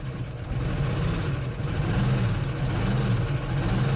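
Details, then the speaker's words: 1976 Postal Jeep revived after years parked in woods: rough, uneven idle with light ticking valve train clatter over the engine note; no reading on the oil pressure gauge and little oil movement, owner suspects oil starvation; not smoking badly. "You can hear valve train. You can hear a lot of things."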